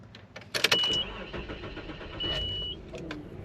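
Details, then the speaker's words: 1995 Nissan Pathfinder XE, 78k miles, on start-up: a few sharp clicks, then a brief high whine as the starter lets go; starter recently replaced, and the owner suspects the likely aftermarket starter; the engine always starts. "Kind of did it there. Coming off the starter when you let off of it."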